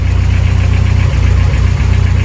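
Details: 1993 Volvo 245 turbo-swap wagon with a fuel problem, vacuum line pulled from the fuel pressure regulator and plugged. Heavy, lumpy low idle that stumbles and dips and barely wants to run, with piston slap noted. Rough running.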